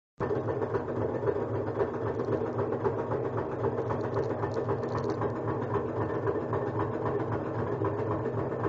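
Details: Kenmore front-load washer on spin cycle: loud, fast, rhythmic knocking-rubbing clatter over steady drone, as if hitting something or belt touching; cycle completes fine, no foreign objects inside; cause suspected, not confirmed.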